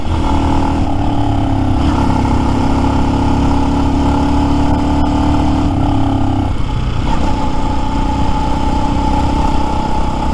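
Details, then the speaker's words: New Lifan X-Pect single, about 70 miles, full tank, climbing a hill: steady drone stumbles and drops out near six seconds before catching again, hiccuping on and off; cutting out from out-of-adjustment valve lash. "I'm sure people who see me are like what the hell is he doing as this thing's hiccuping and carrying on turned on off there"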